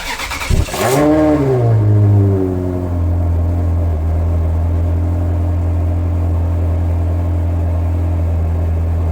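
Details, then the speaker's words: Ferrari 360 V8 (400 hp) starting after trickle-charger battery maintenance: brief starter whirr, quick catch and flare, then smooth even idle with no misses; healthy. "Listen to that now. It's just ticking over perfectly."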